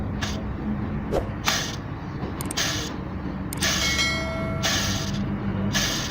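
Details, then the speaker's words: Tensioner pulley spun by hand with the cracked drive belt removed: repeated rough whirring hiss with a brief whine, a worn tensioner bearing, compared with the water pump and alternator pulleys; pulley replaced. "this is a bad tensioner poly listen to noise number three make a compare with another poly in water bomb or alternator and listen the different"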